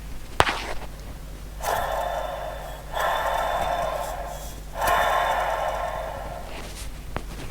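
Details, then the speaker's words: Intel MDS Shugart 801 floppy disk drive, motor running constantly and hot, microphone moved close to the drive: rough hissing whir with faint whistling over mains hum from badly worn spindle motor and head bearings, to be replaced. "hopefully could hear that the bearings in this particular drive are in a very poor state so I'll be replacing the bearings in both the head and the motor"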